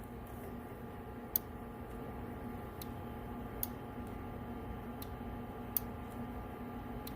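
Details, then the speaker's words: Linear amplifier (3-pill amp) after repair of blown transistor and attenuation for dual-final radio drive; three crisp single relay clicks a couple of seconds apart over faint hiss as it's keyed, relay engaging normally. "you hear it engaging this perfect brother"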